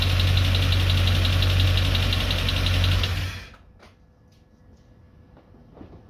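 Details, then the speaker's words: Freshly rebuilt Land Rover Discovery 2 Rover 4.0L V8, first start, after about 15 minutes of running: steady idle with a faint even tap about three per second from the right-hand driver's side top end; owner suspects hydraulic tappets. "it's not missing a beat or anything but there is a little bit of a tapping sign from the well this side of the engine the driver's side the right hand side hydraulic tappets maybe"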